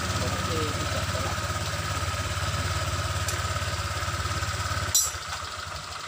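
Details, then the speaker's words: Honda Vario 125 scooter after repair of rolling without throttle: steady even idle thump near three and a half beats a second, no slipping or dragging noise; normal idle, rpm called good for oil circulation. "RPM ini adalah RPM yang baik karena artinya sirkulasi oli berjalan dengan lancar ."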